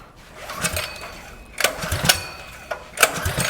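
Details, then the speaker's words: Custom mini trike small engine, fuel on, choke lever cut off: four quick pull-cord cranks in under four seconds, each dying away without firing, cold engine won't start without choke. "We're going to need a choke. Always helps to know your machine, but let's just pull this a little bit and see what happens."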